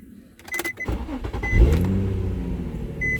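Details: Nissan 350Z with an intermittent no-start: several electronic chirps, then a brief crank, a catch and a steady idle. Owner suspects the ignition lock cylinder or switch (aftermarket key with transferred transponder); cause unconfirmed.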